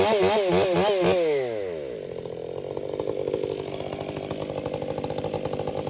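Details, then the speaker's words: Krafterized Husqvarna 562XP Mark II chainsaw, warmed up, bucking oak: brief bog and warble entering the wood, then steady clean high-rev scream through the cut with no four-stroking; runs well. "So, it's delivering fuel off how the motor runs. So, you know, it's just it's hard for me to explain. I'm no mechanic. I don't really care. This all runs good is what I'm getting at."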